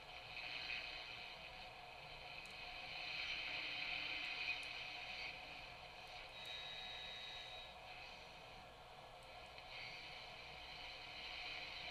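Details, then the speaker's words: Sony TR-1819 six-transistor AM radio (1968–70) after recapping, fresh batteries: soft steady hiss with faint crackle, no station or hum; set alive and working, volume control fine. "well I certainly know that it is working but I'm not picking up any stations but I think that's okay"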